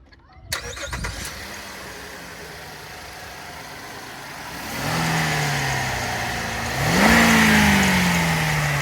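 The engine catches, then a rising squeal climbs with each blip of the throttle and fades as revs drop; a slipping accessory belt.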